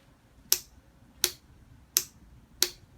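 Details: 2006 custom Yamaha R1, earlier overheating, then jump-started from a car battery; now four sharp dry clicks about 0.75 s apart and the engine never turns over. Owner suspects electrical fault (stator/rectifier?), cause not confirmed.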